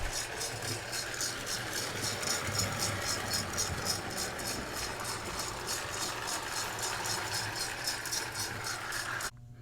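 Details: Lionel Southern Railway toy train set bought secondhand and run straight out of the box: a fast, rattly chuff of about four beats a second rides over the motor hum, the chugging sound effect rattling like a baby rattle.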